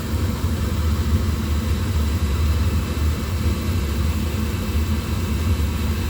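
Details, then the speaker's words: Oil burner that intermittently shuts off when unattended, tested after cool-down with pump holding steady at 140: ignition heard, motor comes on, lights right off normally with a smooth, even low roar and no sputter or dropouts; normal running. "I can hear the ignition. Motor comes on. Hasn't landed on any kind of dead spot. Lit right off normally."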